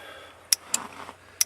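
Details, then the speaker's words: RB25-swapped Datsun 240Z, key out, 30 amp main fuse plugged in: sharp dry clicks in quick pairs with quiet gaps, engine off; ignition relay cycling as voltage swings 2 to 11+ volts from an electrical leak. "ignition relay going over and over and over"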